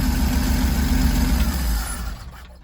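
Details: 1968 Chevrolet G10 van, 250 CID engine with one-barrel Rochester Monojet carburetor, cold start after sitting overnight. Deep, slightly uneven rumble at fast idle that settles and dies away. Choke pull-off works, but the choke is binding and catching.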